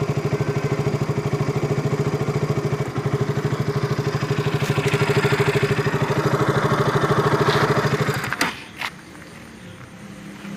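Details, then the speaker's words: KTM RC 200 idling before the fix: about three uneven thumps a second with a tick-tick spark sound, then it dies. The loose, unseated spark plug cap is arcing and misfiring, so the bike stalls at idle. "കാര്യം നമുക്കതിൽ നിന്ന് ഒരു സ്പാർക്ക് അടിക്കുന്ന ഒരു സൗണ്ട് കൂടെ, tick tick tick എന്നൊരു സൗണ്ട് വരുന്നതായിട്ട് ഫീൽ ചെയ്യുന്നുണ്ടായിരുന്നു. ഒരു എവിടെയോ ഒന്ന് പ്രോപ്പറായിട്ട് പോകുന്നില്ല എന്നൊരു തോന്നലുണ്ടായിരുന്നു."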